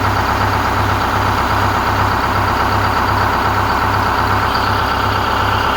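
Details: 4106 diesel after Allison V730 transmission swap, in shop: steady even idle with smooth regular beat, no stumble or knock; normal healthy idle.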